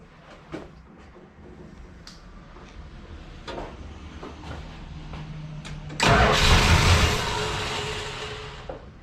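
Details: 1979 Dodge Lil Red Express stepside truck started: quiet clicks and faint cranking, then it catches with a loud burst and settles to a rough rumbling idle; starts fine.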